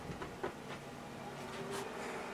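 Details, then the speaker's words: Aruba Instant On 1930 24G PoE switch booting, with a fan resistor mod already fitted. Steady low fan hum with a faint whir, still loud for a switch; measured with a dB meter. "this fan on this machine is loud so i also have my db meter to show you guys"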